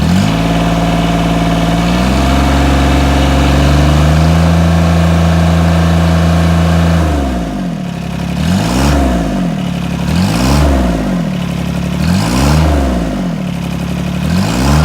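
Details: 1986 John Deere 330 diesel tractor after start: idles evenly, then revs up and back down cleanly several times with no misses, knocks or hesitation; runs really good, puffing a little black smoke.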